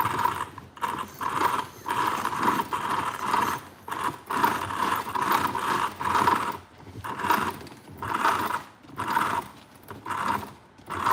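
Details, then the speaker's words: An RC car drivetrain after repair: smooth whirring pulses about once a second as the motor is blipped, with no grinding or clicking; it sounds much better and healthy. "That sounds much better."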